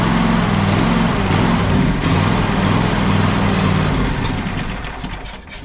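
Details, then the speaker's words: John Deere X540 mower, Kawasaki FD731V V-twin, dies after 15–20 minutes running: runs only on choke, beat sags and fades off choke; fuel delivery problem, dirty carburetor and failing fuel pump, fixed with ultrasonic carb cleaning. "it won't stay running without me keeping the choke on as you see there"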